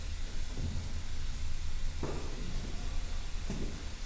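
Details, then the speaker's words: Old Mt. Fuji Inn/Mai Tai Lounge neon sign, transformer with jumpers across broken tubes: low steady hum with crackling sizzle flaring in bursts, high voltage arcing to ground; secondary ground fault, suspected old wiring and housings; electrical sizzle. "Yeah, it's still grounding out."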